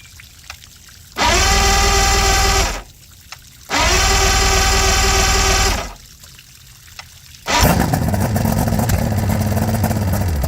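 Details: Johnson GT 200 outboard after new starter and power pack, plugs in, water flowing: two long cranking bursts, then it catches and settles into a steady buzzy two-stroke run; starts and runs normally.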